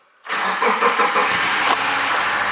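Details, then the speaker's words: Subaru Forester unused four months, cold winter start after oil-priming crank and fuse refitted: cranks briefly, catches first try, settles to steady fast idle near 1,700 rpm with no knocks or rattles; normal cold start. "bam, no problem. Just revving at almost 1,700, but we're live and it doesn't sound like it's falling apart either."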